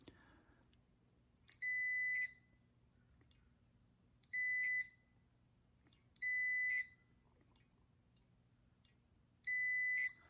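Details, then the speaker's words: Furnace pressure switch on a meter set to continuity, hose pulled by mouth: the tone beeps in bursts, but some switch clicks give no tone. The micro switch closes only intermittently; the switch is to be replaced. "uh listen for the tone see it's not it's not going off every time you can hear these click but you don't hear the tone every"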